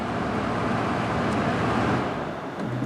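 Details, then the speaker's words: GE 8000 BTU window air conditioner with low-speed fault, running on low: steady fan whoosh with faint hum; relay clicks so control board ruled out, motor fine, owner suspects faulty wiring connector causing intermittent connection. "Got it running on low speed right now. I'd be willing to bet it's just this uh connector that's faulty."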